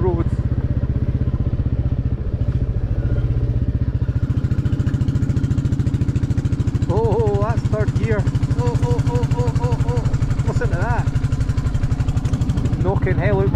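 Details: Royal Enfield Classic 350 lugging at low revs in third gear on a country road: a single-cylinder thump with uneven knocking riding the beat under load, likely the drive chain snatching; cause unconfirmed.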